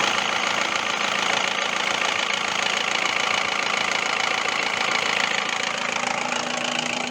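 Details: 2002 Toyota RAV4 engine at idle: light, fairly regular knocking about twice per second, attributed to oil starvation from a clogged oil pickup screen; cleaning the sump screen and changing oil and filter fixed it, gone after 2,000+ km.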